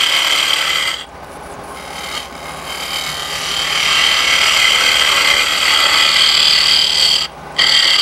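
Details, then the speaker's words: Wood lathe turning a hardwood wine glass stem: steady high scraping cut with a hollow drum-like ring appearing as the wall thins near the bore, signalling time to stop. "If you're turning this on good maple or good hardwood, if you get too shallow or too close to the hole, you'll hear the sound difference. It's like hitting a drum."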